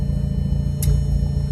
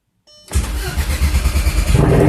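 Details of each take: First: Audi TT big-turbo Haldex build, first start after long storage, once a loose ignition coil connector was reconnected: deep, even low rumble holding a smooth idle without stumbles, nearly at operating temperature, AFRs and vacuum good. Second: Big-turbo TT project, first start after sitting 2 years, engine primed, on 2-year-old fuel: catches on first crank, then a lumpy idle that stumbles now and then. Engine misfire.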